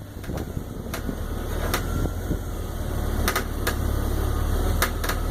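Irregular sharp cracks and pops every half second or so over a steady engine hum; popping present, source not yet identified.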